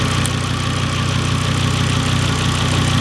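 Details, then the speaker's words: Volvo S60 with big turbo upgrade, idling steady and even with a smooth low rumble, no hunting or misfire, before throttle is blipped; moments later it sticks wide open from a vacuum leak, suspected bad brittle throttle body gasket. "Alright, so as you can see, it's running normal. It's at a default."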